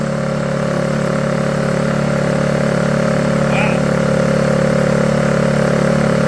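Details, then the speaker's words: Honda EU2000is inverter generator, bought non-running, started after about six pulls on existing fuel, air box off: steady, even hum at held throttle, no misses or surging; normal running. "wow I was not expecting it to run e throttle this makes me so happy"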